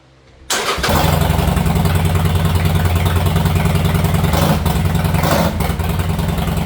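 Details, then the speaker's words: 2019 Harley-Davidson Sportster 48 V-twin after fitting Khrome Werks mufflers with stock heat shields, recorded in a garage; the starter catches and it settles into a loud, steady, even potato-potato idle with no knocks or misses: a normal start. "All right, it's late at night. Can't be making a bunch of noise, but it looks good. Sounds pretty good, and I'm happy with"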